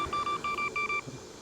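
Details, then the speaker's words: Segway Ninebot S-Plus self-balancing scooter, speed-limited to about 12 mph: a quick run of sharp, high-pitched beeps, about eight in one second, when gaining momentum, as the scooter pushes back. Overspeed warning beep. "going to get momentum and then what is it going to start doing it's going to start beeping at you there it goes again so I found that to be super annoying"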